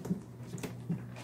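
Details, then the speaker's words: StepManiaX dance pad panel stepped on after loosening and tightening its edge screws with the hex wrench; a few soft dull thumps with no squeak or creak, so the squeak is fixed. "now stepping on this panel doesn't produce any squeak at all so that's definitely solution number one"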